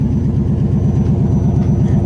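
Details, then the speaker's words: Old Chevy truck started after sitting about six to seven years, rear end rebuilt, fuel pump working: deep evenly pulsing idle with steady beat and no stumbles or ticks; normal idle. "now that's pumping exhaust going it's running fine now"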